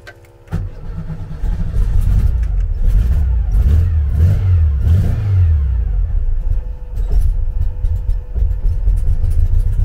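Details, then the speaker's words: 1974 VW Beetle flat-four with Weber IDF carbs, cold engine, throttle held slightly: uneven lumpy beat stumbling as revs drop, won't idle; misfire on one cylinder as idle jet still blocked. "still blocked here it's down on one cylinder there anyway see it won't idle at all while it's cold when it's down on one cylinder like that"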